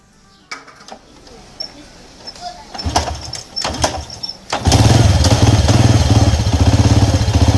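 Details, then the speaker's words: Honda EX5 Dream motorcycle engine fires after a few cranks into a loud, rough idle with a hard knocking beat about four per second. "tuh bunyi engine ini memang cukup keras dan bunyi hentakan Lah bunyi hentakanlah bunyi dia itu"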